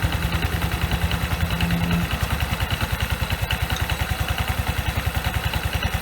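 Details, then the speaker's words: Yamaha Qbix scooter that jerked and shook on take-off, after replacing the CVT front pulley (outer and inner halves) and the rollers, using parts shared with the Mio 125. Even, steady low thumping pulls away cleanly without shudder; test passed; smooth CVT take-off. "หลังจากที่เราไปเทสมาก็ผลปรากฏว่าก็ผ่านไปด้วยดีครับจบที่จบที่การที่เราเปลี่ยนชุดนี้นะชามหน้าทั้งด้านนอกและด้านในแล้วก็เป็นเม็ดครับ"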